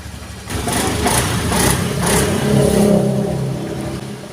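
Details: Honda Beat scooter CVT after replacing worn-out automatic clutch linings that caused a groaning, dry-hinge creak: the engine catches, then revs up and settles smoothly with no groan or creak. The clutch is engaging cleanly; repair done.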